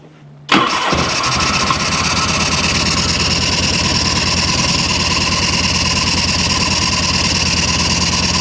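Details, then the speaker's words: 1986 Harley-Davidson Liberty Edition Electra Glide Classic Evo, 23,000 miles, unrun for over 10 years, first start on new battery and plugs, choke held, fuel on reserve: catches at once and settles into strong, even idle with no stumbling; clean healthy start. "What? This runs so good. still puking."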